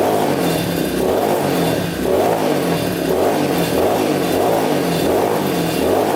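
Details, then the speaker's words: Yamaha Warrior 350 quad after carburetor cleaning, fresh gas and idle adjustment: revs swell and sag about once a second, running good then nearly shutting off and bogging; exhaust pipe blockage suspected, unconfirmed. "Alright, you can hear it's kind of running good, kind of not. So it was running good at first, and then it kind of like shuts off and bogs down."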